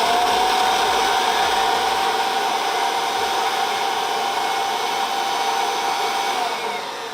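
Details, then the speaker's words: Kirby Avalir 2 vacuum with the stretch hose retracted to three feet, versus the usual seven-foot hose, spinning up the Avalir zip brush: a loud airy rush with a steady mid-pitch whine easing slightly. The brush spins up well, normal. "okay so we've got a way shorter hose so it spins up quite well consume we've got three foot compared to seven foot hose that you normally have"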